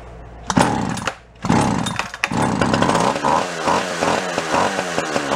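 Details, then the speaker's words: Free Echo CS 400 chainsaw with leaking fuel tank: two-stroke catches and runs in uneven, stumbling bursts that sag; no fuel coming up, fuel lines or carb suspected; runs briefly then dies. "one more time yeah no fuel coming up whether it's a deal with the fuel lines are the carb itself we need to dig in"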